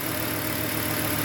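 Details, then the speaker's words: Volvo 850 T5 turbo engine, slightly warmed, after replacing leaking vacuum hoses that had left it barely running: steady, slightly busy idle with an even hum and no misses, hiss or surging; about 95% normal idle. "sadly the engine is Hing like a kitten well okay maybe like a really nervous kitten but um it seems normal"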